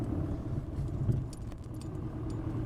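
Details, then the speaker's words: Irregular hollow knocks and rattles from the front over bumps while driving a 2006 Mercedes C200 CDI, caused by worn lower and upper front control arms at about 120,000 km with play in both front wheels. "vous allez pouvoir entend ça résonne ont l'impression que je perde des morceaux écoutez bien entendez comment ça cogne"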